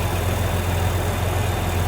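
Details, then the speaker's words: 1950 Chevrolet Fleetline Deluxe with a later-1950s 235 cu in inline six (not original) and dual carbs, idling through a split exhaust manifold: a steady, even low rumble with no knocks or misses, the classic 50s hot rod sound. Normal idle. "Here you get that cool 50s hot rod sound out of that split manifold."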